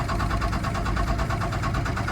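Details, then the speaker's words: First-gen Dodge Ram D250, 5.9L 12-valve Cummins diesel from salvage yard after years sitting, clutch in neutral after priming fuel: fast even cranking with low chug that never catches; cranks without firing, likely fuel starved. "Yeah, it's just shaking. It's wanting to start. It's just not getting fuel."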